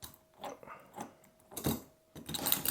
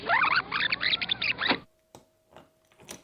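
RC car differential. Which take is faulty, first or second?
second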